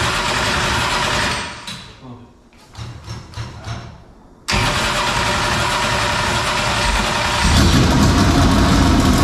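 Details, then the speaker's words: 465 cubic-inch V8 race engine, first start attempt after three years, fuel primed by hand: it fires, runs briefly, then fades and dies, with cranking bursts before catching again; no fuel pressure, carburetor starved because the mechanical fuel pump is not driven. "ain't got no fuel pressure i don't want to push seats out of the car grinder let's check and see if there's fuel up to the carburetor"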